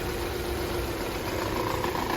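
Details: Opel Astra J 1.6 petrol engine at cold idle, shaking more when cold: slightly uneven, lumpy beat; rough misfiring idle found to be caused by burnt valves.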